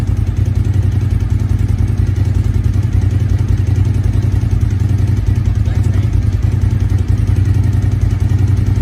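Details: 1999 Suzuki TL1000R V-twin, 81,000 km, long stored, new battery, oil unchecked, rust in tank; deep lumpy beat at steady idle, about three and a half pulses a second, no knocks or rattles; running normally.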